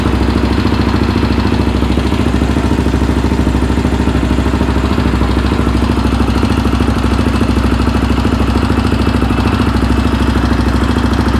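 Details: Yamaha Raptor 700R with freshly rebuilt engine: even single-cylinder thump at idle, roughly three beats a second, no knocking or rattling; normal idle.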